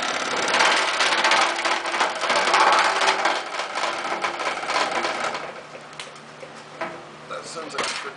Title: Fun with a broken fan blade..(Part 2)